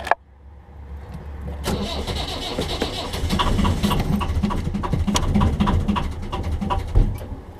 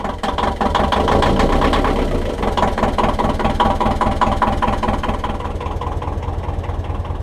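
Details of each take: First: 1.5 BMC diesel in a narrowboat, glow plugs primed at least 60 seconds, in a glow plug replacement episode: starter cranks about four times a second, a few uneven firing beats but no idle; hard starting, cause suspected, unconfirmed. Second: 1.5 BMC diesel narrowboat engine after glow plug replacement, 10 seconds preheat: catches and settles into an even, steady low idle clatter without stumbling; starts much better, less smoky and less lumpy than before. Normal diesel idle.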